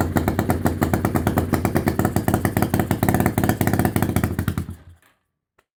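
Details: 1991 Kawasaki EN500 motorcycle that was bogging, chugging and backfiring: uneven, lumpy chugging idle with irregular beats and stumbles before it dies; rough running from a faulty ignition pickup coil upsetting the timing.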